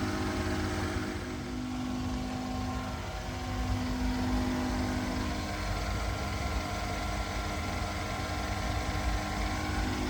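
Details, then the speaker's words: 2014 Mercedes S550 W222 Airmatic, driver-side compressor (aftermarket unit, previously failed) under diagnosis: steady even pump drone with constant low hum as the car raises after being lowered; pump only kicked on once lowered, running normally here. "Okay, it's raising the car. All right, you hear the pump running."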